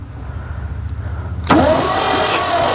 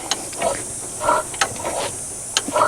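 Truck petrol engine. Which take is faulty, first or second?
second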